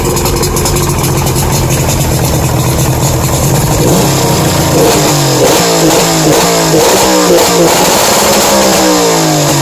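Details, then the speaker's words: 1992 Lund Pro-V boat's two-stroke outboard running rough with uneven knocking through the revs and hesitant pickup; owner suspects rod knock or piston slap, unconfirmed; runs slow, light blue smoke. "making a knocking sound I'll go better rod knock or what or a piston slap don't like the way she spouts"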